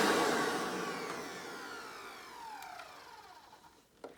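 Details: Hoover PowerMax II U5246-940 upright vacuum (2002), direct-air design with 12 amp motor, high RPM and 20-blade fan impeller, after motor work: loud, clean high whine falling smoothly as motor spins down, no rattle or grinding. Normal running.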